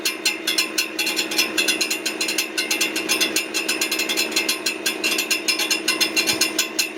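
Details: Brand new 2023 Ford F-150 with 400 miles making sharp metallic ticks, clanks and rattles repeating several times a second with little engine rumble, near the transmission; source unidentified.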